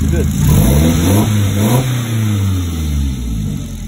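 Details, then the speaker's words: Mid-engined Triumph Spitfire with new Bosch 630cc injectors, big port manifold, replaced auxiliary belt pulley and thread-locked front pulley; blips up and settles to an even deep idle, no squeal or knock; owner notes a slightly metallic sound, unsure why; running nicely. "Car's running quite nicely. This sounds a bit metal, the new injectors, I don't know why."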